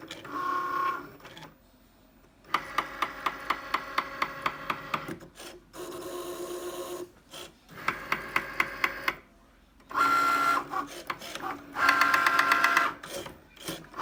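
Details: Brand-new Cricut Maker on first use, cutting a card: bursts of sharp, regular ticking about two a second over the whirring motor whenever the carriage moves back and forth; abnormal knocking, cause unknown.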